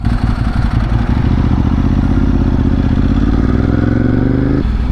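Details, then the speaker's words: Ducati 1098S V-twin under way: pulls up smoothly with a dry metallic clatter over the exhaust, the normal rattle of a healthy dry clutch. "Whoa, cool. I don't know if you guys can hear that drag clutch."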